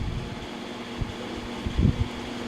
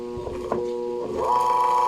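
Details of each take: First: So okay na yung starting niya mga kalikot. Ayan o ang lakas oh. Hindi na napipigilan. So ibig sabihin okay yung kanyang motor mga kalikot. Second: Desk fan motor hums steadily and won't start unless the blade is spun by hand, then pitch climbs to speed. Shaft bushing turns freely, so another motor fault is suspected.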